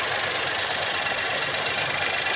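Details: 2021 Geely Coolray after replacing a faulty injector and iced-up spark plug that caused shaking and a check engine light: petrol engine idles evenly with fast, light ticking, no misfire stumble. Normal idle.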